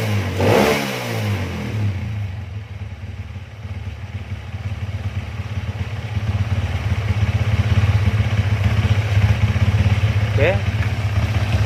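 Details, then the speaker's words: Honda CB/GL/MP/Tiger single-cylinder motorcycle after changing magneto ignition timing from 15 to 17.5 degrees to fix kick-starter kickback: quick blip then steady regular low idle putter, no kickback or misfire; normal idle. "untuk lamsannya oke ya. Untuk gas-gasannya kita lihat di sini."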